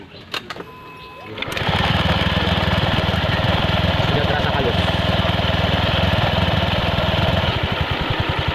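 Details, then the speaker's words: Honda Scoopy scooter after CVT repair, with the CVT cover off: starts and settles into a smooth, even idle with no clatter, unlike the earlier knocking. "Begitu kan halus. Halus."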